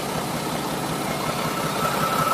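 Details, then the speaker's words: Mack E7 diesel dump truck after a new injector that didn't fix it: rough, lumpy idle with an uneven beat, one cylinder not pulling its weight; air seen in an injector line; misfire, cause still unknown. "And you can hear a difference whenever it starts missing."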